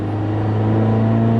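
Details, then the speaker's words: Subaru Forester on the road at about 60, needing exhaust welding and a head gasket: loud, deep droning rumble under acceleration, rougher than a sound exhaust; exhaust leak. "just gotta fix the head gasket fix the exhaust because it sounds it sounds bad does not sound good"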